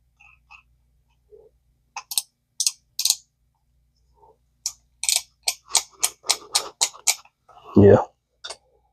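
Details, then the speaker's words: Vintage ABU Garcia Ambassadeur 5500C reel being cranked during repair: crisp clicks about three to four a second. The clicker signals a loose drag, meaning no line is being pulled in; it also serves as a line-out clicker. "that clicking is your um it means if you're if you're cranking this reel and you hear that clicking, it means your drag's loose. You're or you're not pulling any line in. It's what it means."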